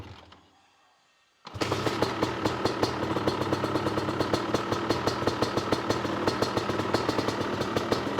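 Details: CR250 supermoto two-stroke with Mikuni carb, main jet changed to a 400, warmed up and revved half to full throttle (it previously would not rev at 3/4 to full): fast crackling beat, still a little uneven, so the jetting is not fully sorted.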